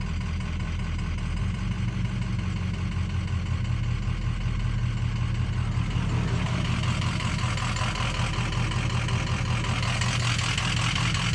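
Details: Ford 6.0 Powerstroke diesel at idle: deep idle with an uneven, loping beat about three per second that never settles; rough idle, owner suspects a bad ICP sensor, unconfirmed.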